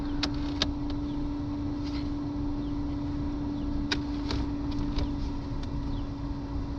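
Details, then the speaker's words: 2000 VW Polo 6N2 interior heater blower. Even, steady fan whir with a clean tone and a few switch clicks; the blowers work normally at their settings. The recirculation does not work, and the rear resistor is suspect. "then blowers yeah they work now let's put it like this"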